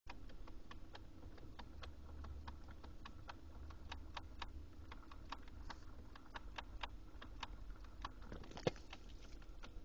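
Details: Lexus GX470 at idle: sharp, even clicks about three times a second over a low steady idle hum; repetitive clicking noise of undetermined origin.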